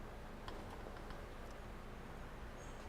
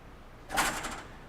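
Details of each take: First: Water hammer demonstration rig, about 200 ft copper coil, valve closed with surge suppressor fitted: quiet, steady flow rumble with a few faint ticks, no bang or shudder; the suppressor absorbs the pressure spike. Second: Water hammer demonstration rig: about 200 ft of copper coil with the surge suppressors isolated. A single sharp metallic bang with a brief rattle as the valve is closed rapidly, slightly delayed as the shock travels, peaking at 400 PSI from zero.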